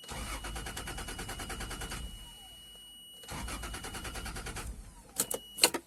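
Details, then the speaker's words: 1995 Toyota Land Cruiser 1FZ engine with intermittent crank-no-start and an inactive fuel pump; starter spins evenly, pauses, cranks again without catching; cause a disconnected, burnt connector with a poor contact, fixed by cleaning the pins and moving them to new positions. "نجرب ونشغلوا السيارة وتشوفوا ان السيارة ما تشتغل، يعني المحرك ما يشتغل."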